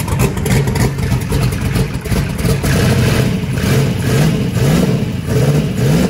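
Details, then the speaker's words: Chris's big V8 truck with belt-driven fuel pump, converted from gasoline to methanol: catches and fires, then quick throttle blips rising and falling cleanly; idled at about 4.7 air/fuel ratio, may be leaned out; runs fine. "that was idling about 4.7 air/fuel ratios it's pretty good we might be able to lean it out"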